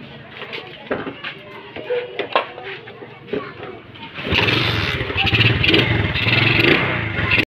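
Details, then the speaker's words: Freshly overhauled Suzuki Rider J 110 engine, idle adjusted after running too high then too low: fires up and holds a steady, even single-cylinder idle with no knocks or misses. Normal idle. "Ito yung inoverhaul natin. Napagana na rin natin. Ayos."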